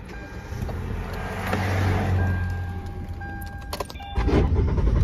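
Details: Car broken down at the roadside: the starter turns the engine in a low, uneven rumble, about three and a half turns a second, that never catches, so it cranks but won't start. The owner says the transmission is going bad and the exhaust manifold needs replacing.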